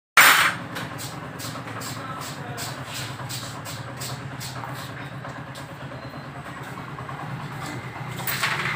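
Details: Honda CD70 (2020 model) motorcycle: small single idling with light, fairly regular tick about three a second over the exhaust note; something mechanical ticking, cause unclear.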